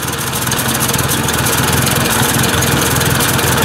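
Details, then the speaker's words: Ford 800 tractor, warm, at idle: loud steady idle with quick irregular pops, three or four a second, from an exhaust leak. The owner suspects a worn elbow under the exhaust. A new muffler is not yet installed. "you can hear that a little bit of an exhaust leak you can feel it popping through there so i imagine this piece this elbow underneath this probably wore out a bit"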